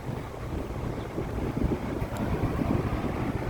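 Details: Vintage Westinghouse 20-inch reversible two-speed box fan with a venturi shroud, running on high blowing outward: a steady, even rush of air with a low rumble and no ticks, rattles or wobble; it runs normally.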